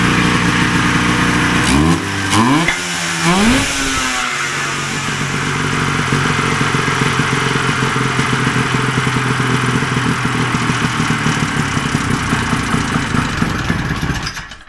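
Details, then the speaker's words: 1980 Ski-Doo Citation SS two-stroke after points, coils and carbs repaired, no air box, idle not yet set: a few throttle blips then steady, even idle with no misfire or hunting; running smooth. "Got a full tank of gas. Seems to run pretty smooth, and I think I can be happy with that."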